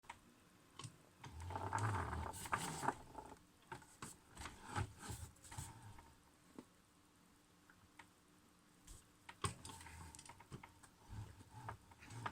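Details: Logitech G920 steering wheel: uneven soft grinding taps and knocks from the wheel mechanism when turning right, felt through the wheel and getting worse; cause unclear.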